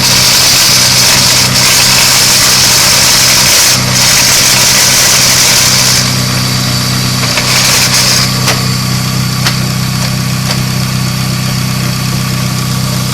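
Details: Idle after installing custom CPL Racing straight-cut gear set: fast fairly regular crackle about four ticks a second over the idle; source unknown.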